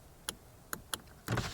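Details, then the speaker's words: Lada Vesta driver's window: clicks and knocks, then a rough grinding rattle as the motor runs near fully closed; cause was a loosely tightened glass-to-slider mount, fixed by adjusting it toward the pedals and tightening. "Она когда у меня полностью закрыта, какой-то стук идет непонятный, когда вот закрываешь, открываешь."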